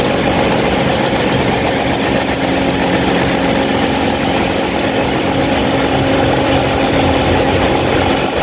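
A steady, loud, rough whir with a constant hum and no variation in speed; an abnormally noisy fan, cause not evident.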